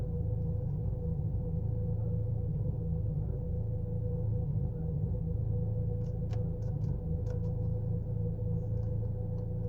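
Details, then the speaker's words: Chevy Cruze petrol engine idling with low uneven rumble and faint irregular ticks, misfiring and shaking the car; strong in Drive, much milder in Neutral. "See, you can see how the car is misfiring or jerk. Totally the car is shaking."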